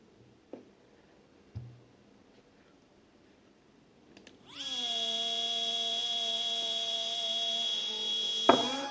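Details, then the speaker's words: Two Z-axis steppers wired in parallel on one Duet driver, current raised for two motors, acceleration 120, feed rate 2000: a sharp whine falls, then holds buzzy. Motors are stalling and vibrating. Trouble began after a stall lowering the bed, cause unknown. "so for some reason when the two motors are connected in parallel with the adjusted current for the two motors there are stalling and the is very weird"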